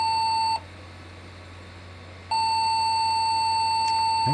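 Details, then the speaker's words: Custom Pentium 3 cartridge PC after reseating CPU and RAM and swapping a RAM stick: single high steady beep stops, then sounds again unchanged; continuous long beep code, no POST. "I've reseeded the processor and I reseeded the RAM and it's still getting that same beep code"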